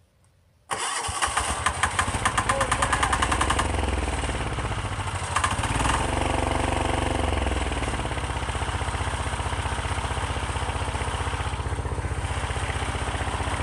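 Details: Chinese 10 hp single-cylinder diesel, first start in cold weather on a semi-truck battery after priming the fuel: brief cranking, then a steady, even thumping idle about four beats a second, somewhat smoky; it starts and runs fine.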